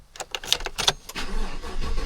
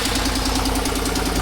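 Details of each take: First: 2018 Chevy Silverado after water pump replacement and a new radiator cap; cranks, catches and settles into a steady, even idle with no pump whine or bearing grind. Healthy pump; a separate ticking from a broken exhaust header bolt quiets once warm. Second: 2018 Chevy Silverado after water pump replacement, before warm-up: sharp, even ticking about ten a second from an exhaust leak at a broken exhaust bolt on the back side of the header; it quiets a lot once warm.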